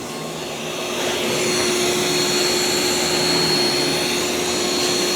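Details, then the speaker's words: ECOVACS DEEBOT X2 Omni robot vacuum during first mapping run with mop pads lifted, moving onto carpet; fan hiss climbs and holds a higher steady whine as suction increases; normal carpet suction boost. "So it does increase the suction whenever it gets onto carpet."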